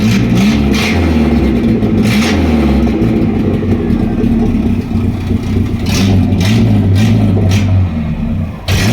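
Engine idles smoothly, then rises and falls through several clean revs with a deep, even exhaust note; no leaks or rattles, healthy.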